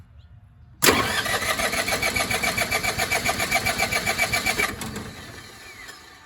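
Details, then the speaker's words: MEP-802A diesel generator from auction with just over 2,000 hours, refilled with about 3 quarts of Rotella 15W-40 oil and a new filter, fuel tank empty. The starter cranks strongly and evenly at about 3.5 pulses per second and winds down without firing: healthy cranking. "well she turns over good put it back down to normal she needs a cleaning now"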